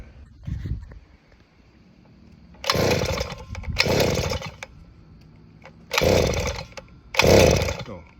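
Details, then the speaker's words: Southland 43cc auger engine after fixing a fuel-flow issue and priming with the primer bulb: four recoil pulls, each a short rasping whir about a second long with no firing; no start because the ignition switch is off. "how about turn it on, dummy? There you go."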